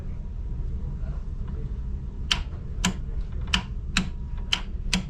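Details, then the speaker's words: Clicking from the control panel of a York 4-pipe fan coil unit (not heating or cooling, fan not running): sharp, uneven clicks about every half second over a low hum, with no motor spin-up. The tech suspects the motor starter or something loose; the cause is not confirmed. "something's Loos in here hold up I think that's I think that's the motor starter starting"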